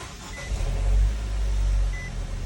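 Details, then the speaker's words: 2013 Nissan Juke 1.6L turbo, hood up: the engine fires and settles with a rough, clattery rumble at start-up. The customer complains of this timing chain noise. Timing chain rattle on start-up. "starts up you know everything runs okay you know no you shoot but like I said you hear that noise so that's what the customer is complaining about"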